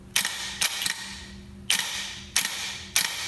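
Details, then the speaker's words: Wrecked Lamborghini Huracan, removed starter being tested with its wires connected and then reversed; sharp single clicks at uneven intervals with no spin-up. Owner suspects a ground issue or wiring mistake, cause unconfirmed. Starter clicks but does not spin. "I'm sure that's a ground or something but just just clicks I'm gonna have to I'm gonna try to reverse it and see what it does"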